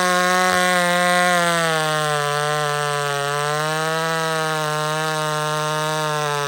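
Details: Old McCulloch Super Pro 70 chainsaw cutting wood: clean high-revving note settles slightly lower as it bites and holds steady, no surging. Normal running under load.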